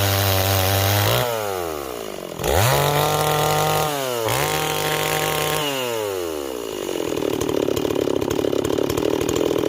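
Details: Stihl 026 chainsaw on an 18-inch bar, cutting wood: crisp revs rise and fall cleanly on the throttle, then a steady rasping cut under load; pulls strongly and runs healthy.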